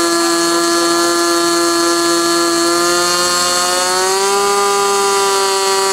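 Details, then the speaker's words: Glow engine on SIG Kadet LT-40 during break-in, restrained on ground, needle valve at about 1⅓ turns, possibly slightly lean at idle: smooth steady high buzz, pitch lifting slightly and holding, no misses or surging; normal running. "so what you're going to see next is the remainder of that video after it was running and running smoothly I turned it back on and uh let it run for a while"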